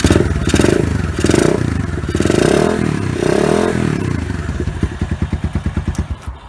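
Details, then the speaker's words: Lexmoto Venom 125 cold start with a 108 jet and baffled exhaust: uneven revving settles into a steady single-cylinder thump. It catches and idles cleanly. "and that was a cold startup so as you can see it runs quite well"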